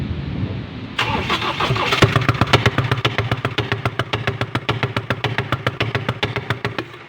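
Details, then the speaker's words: Ford Ranger 2.0 that suddenly died, started after new timing belt, serpentine belt, tensioner and front cover were fitted; loud, hard diesel-like clatter about three to four times a second right after firing, "sounds like a Kubota"; cause unconfirmed, valve cover to be opened. "At yun guys, narinig nyo ang tunog. Ang Ford Ranger ay nagtunog kubota."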